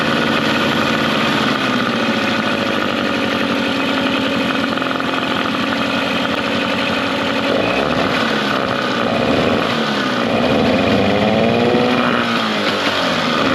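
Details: Mercury 9.9 hp two-stroke short-shaft outboard, believed early 90s, sat for years; carb and spark plugs upgraded and maintenance done. It idles in gear in a test tank with an even, steady burble, slightly high, no misses or surging; normal idle.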